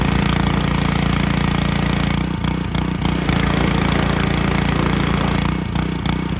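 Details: John Deere HR-2700GH pressure washer, Honda GC190 engine, 2700 PSI pump, revived after a bad spark plug and contaminated oil: steady single-cylinder petrol beat with a brief dip and recovery as pump load shifts, air in the line causing surging; normal running.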